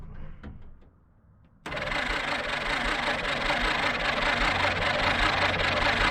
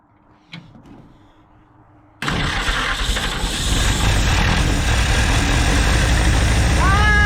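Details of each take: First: 1946 Jeep Willys CJ-2A after sitting for years, battery fitted: quick even cranking about two and a half beats a second, sounds like good compression, no firing; no spark, points to be cleaned. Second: 1946 Jeep Willys CJ-2A after sitting for years, running on original carb; after a quiet start it catches at two seconds and runs steadily with no misses: normal running.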